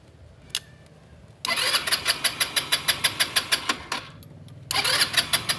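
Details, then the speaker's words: Rusi Passion scooter that won't start, after swapping in a spare spark plug: two bursts of starter cranking about three turns a second with no firing; cranks but won't start, later no spark found at the high-tension wire. "Ayaw pa rin try natin kung may spark yung spark PL"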